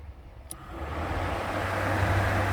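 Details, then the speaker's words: Cooling fans click on and a steady airy rush builds and holds over the idle after replacing a relay that clicked but did not work; fans now working properly. "so there you go the fans are working"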